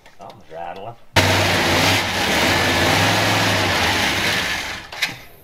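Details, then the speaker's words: 1967 Dodge Coronet with a newly installed engine on first start for cam break-in: it catches and runs rough, with a fast ticking and rattle over a loud uneven idle. Attributed to a leaking exhaust header; pushrods also still need sourcing. "i'll change rattling huh headers leak"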